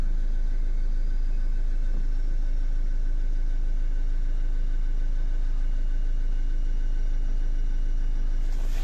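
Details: Renault Kangoo 1.5 dCi diesel after repair: even, low thrum at a steady idle of about 200 beats a minute, no knocks or misses; engine healthy, repair finished.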